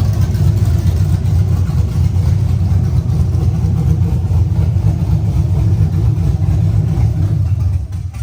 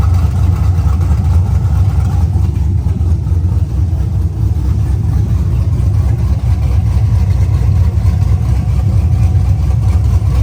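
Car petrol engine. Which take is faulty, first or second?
first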